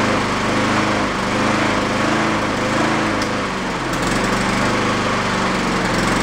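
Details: Used Honda mower engine after fitting a slightly larger jet: slow rise and fall in speed every second or two, steady hunting from a blocked idle circuit. The jet barely helps. It runs well enough on partial choke to cut grass.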